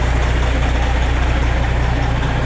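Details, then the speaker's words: Semi truck diesel idling during a pre-purchase inspection while air pressure builds toward about 90 psi and the suspension fills. Deep, steady rumble with an even beat, no knocks or rattles: healthy idle. "You're listening for any kind of leaks or air leaks while your suspension is filling up. Man, it sounds good though."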